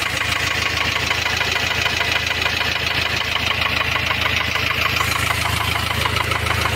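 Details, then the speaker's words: Ford Transit diesel van: sharp even ticking about three per second over idle; rocker arm on cylinder one had fallen out, leaving that valve inoperative and slightly damaging the camshaft edge. "o barulho é o quê um balancinho ele tava caído fora aqui ó do primeiro cilindro ele tava caído para fora não tava funcionando essa válvula aqui"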